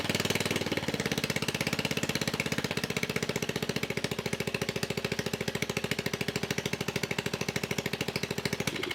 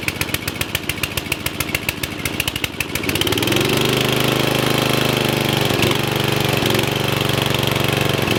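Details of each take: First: Murray riding mower engine, long unused, previously stalling and smoking badly, running at fast idle with exhaust removed to check the cause; fresh gas and new fuel lines; loud raw unmuffled popping, still smoking a little. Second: Murray riding mower, previously locked engine freed, head reinstalled, on jumper box: slow starter chugs about three seconds then catches cleanly and runs steady; smoking slightly.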